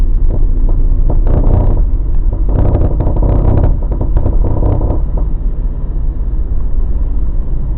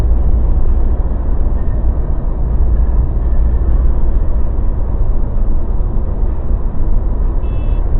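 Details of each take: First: Mazda BT50 pickup driving, before the fix, after a shop replaced 2 of 3 drive shaft cross joints and the center bearing: bursts of clunks and gritty grinding come and go over road rumble; cause was a worn upper ball joint and low differential oil. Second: Mazda BT50 pickup on the move after the fix (following earlier drive shaft cross joint and center bearing work): steady low road rumble, no clunks, knocks or grinding; drivetrain and front suspension quiet.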